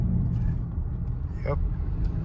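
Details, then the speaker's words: 2015 Honda CR-V, 112,000 miles, on a road test after new sway bar bushings, end links, brake pads and rotors for a clunking noise: only low, even road rumble with no clunks or rattles; the suspension is quiet and solid. "good solid sound no more rattles let's try the bmps wow all right we fixed the problem"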